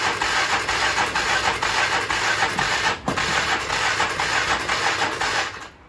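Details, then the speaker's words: 1996 Polaris Magnum 425 4x4, full choke: uneven, lumpy firing around two beats a second, stumbling and dying away. Varnished Chinese carburetor with wrong jets and backfire signs in the airbox; suspected running very rich, unconfirmed. "So we noticed on the air box when we pulled the intake or the air filter element apart, you could see here that there was definitely some backfiring issues. So we're thinking that it was running really, really rich"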